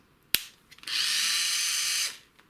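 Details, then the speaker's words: Black & Decker BD405R cordless drill circa 1985, unused 20 to 30 years and nearly seized, after cleanup: click, smooth steady high whine at constant speed, click; motor running freely, works again. "looks like it works again"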